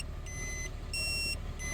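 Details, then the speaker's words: Toyota/Lexus factory dashcam beeps alternating low and high over engine rumble shortly after startup, after the micro SD card was pulled and reinserted; reseating it in its holder didn't help, beeping continued; SD card error, fix is replacing the card with a specific 32GB card. "so I tried fixing it by reinserting the micro SD card more carefully using its little card holder thingy but that didn't work it continued to beep"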